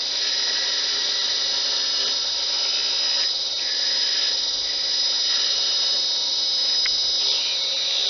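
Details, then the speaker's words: Wood lathe turning a blank to a cylinder with a skew chisel: steady, even high hiss with no clicking left, meaning the blank is now fully round; normal smooth cut. "you hear that clicking so we know we're not yet once that's a nice smooth sound we know we're a cylinder"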